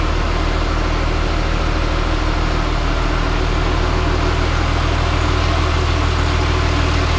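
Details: Cat D3C LGP dozer restarted in the shop after a blown hydraulic hose, with hydraulic oil refilled, having stalled earlier, likely out of fuel. Deep, steady diesel idle with an even low throb, no misses or knocking, no oil leaks seen. Normal idle.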